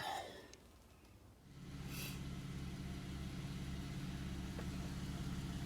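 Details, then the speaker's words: Buick Enclave after a broken throttle position sensor connector was replaced and re-pinned: it catches after a short crank and settles into a smooth, even idle with no knocks or misses and no pedal hesitation. Normal idle. "all right so as you can see that new harness is in it's looking good car sounds good all right no hesitation in the pedal"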